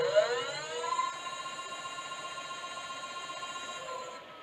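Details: New 1000W 48V front hub motor e-bike conversion on Mk5 frame, first power-up with wheel spinning free: clean high whine rising briefly, then steady pitch before fading; normal healthy hub motor.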